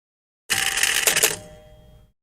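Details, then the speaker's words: Gottlieb Jack in the Box pinball, 10-point relay held down during a game: quick rattling burst of metallic clicks as the score reel keeps stepping instead of stopping; coil ruled out, a switch is suspected. "Let's see if we can hold down the 10-point relay. Ah, it's still doing the same thing."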